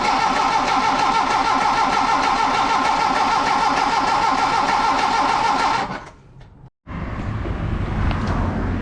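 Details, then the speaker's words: Hillman Superminx after fuel pump to block gasket replacement for an oil leak, cranked via the starter solenoid with ignition off to fill the fuel pump; steady, even cranking about three turns a second for six seconds, no start expected. "we'll just turn it over with the um starter solenoid the the the ignition's not on we'll just um see that fuel pump fill up"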